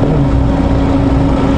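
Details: 2003 Honda Accord 2.4 at idle, undercharging at about 11.5–11.9 V: steady low humming whine; thermal camera shows the alternator very hot just after startup, pointing to a failing alternator.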